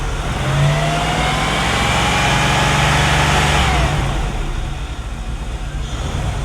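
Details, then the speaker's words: 1997 Chevrolet Camaro SS LT1 V8 at idle and revving, misfire other shops couldn't fix, no check engine light: slightly uneven beat with faint stumbles, a light miss; suspected running rich. ">> Is the check engine light on? >> It's not, but it definitely >> feels like it's got a really light mist."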